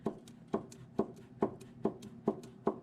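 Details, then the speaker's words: Mazda RX-7 FD3S upper ball joint rocked up and down by hand: sharp regular clicks, about two a second, from a worn ball joint with play; the whole upper control arm is being replaced. "you can hear it kind of clicking in there uh being that I'm due to go on a 3000 Mile Road Trip in four days I decided it would be best to just replace this whole ball joint"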